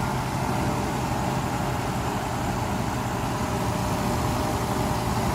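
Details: Mercedes S600 W140 V12, first start after a throttle body overhaul; the fuel pressure regulator diaphragm leaks fuel into the intake and needs replacing, yet the engine runs pretty well, a steady even note with no surging or knocks; normal running.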